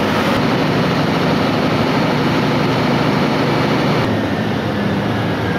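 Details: 2008 CAT 3512 GD diesel generator set, starting after a non-start fault traced to the emergency stop switch was cleared; big diesel runs with a steady, even roar and no knocks or misses; normal running.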